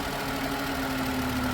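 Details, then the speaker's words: 2013 Volkswagen Passat 2.5, not charging, test light bridging circuit at idle; steady idle with low droning hum settling as alternator kicks in and takes charging load, while test light heats and smokes. "can hear the alternator kick in too oh there we go see that my test light is starting to smoke"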